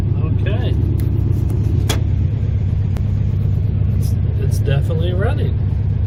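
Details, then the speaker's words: A 1971 VW Beetle's air-cooled flat-four, restarted after three years with a new carburetor and fuel rods, has started right up. It gives a deep, steady low rumble with no misses or knocking and runs evenly and healthily. "grandma be happy it does run it starts right up right like it was pretty awesome"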